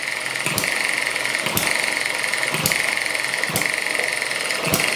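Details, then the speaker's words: ET6 model hit-and-miss engine on two-stroke fuel mix, running after a faulty HT lead was found: sharp firing bang about once a second with quiet coasting between, even and repeatable; normal running. "and there it goes oh it's fantastic it smells nice as well"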